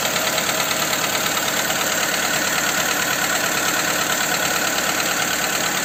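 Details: Skoda Fabia 2 with a 1.4 engine after the camshaft cover with camshafts was replaced: a sharp, regular tapping of about three per second rides over the idle and persists; the source of the knock is still unknown.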